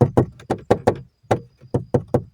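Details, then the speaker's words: Dashboard panel on an Alfa Romeo, tested with tyres at about 2.7 bar: sharp hollow taps with buzzy rattle that stop when pressed by finger; factory foam padding near cabin air filter access (T25 screw) has disintegrated, to be replaced. "So when I do this with my finger, I can see that it disappears. So maybe a bit of foam to stop this rattling, I hope."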